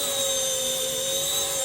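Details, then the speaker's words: RC ERA C190 Airbus H145 RC helicopter after replacing the main gear: steady, clean high rotor-drive whine with no grinding, the earlier gear noise gone; it hovers smoothly. "But uh this thing the gear noise is gone."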